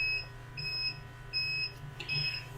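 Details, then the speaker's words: UPS running a workbench setup gives clear high-pitched beeps about once a second in a quiet room, warning of low battery charge; its aging batteries are not lasting as long as before. "UPS is complaining"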